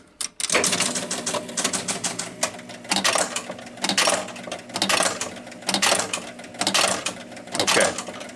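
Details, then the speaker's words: 1976 Williams Space Odyssey pinball machine pressing start after a free-play jumper hack: bursts of relay clacks and reel chatter about every second as it resets, then keeps trying to kick the ball out repeatedly; score motor runs continuously. "so it reset everything, and it sounds like it was trying to kick the ball out, and now it's just doing that over and over again, even though it did kick the ball out."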